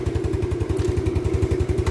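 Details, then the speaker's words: Yamaha Mio scooter, restarted after stalling while riding, with oil poured in the cylinder to aid compression: steady single-cylinder thumping, about ten even beats a second, no misses; normal idle. "Hai nah oke sudah nyala ya gak ada olinya sedikit-sedikit"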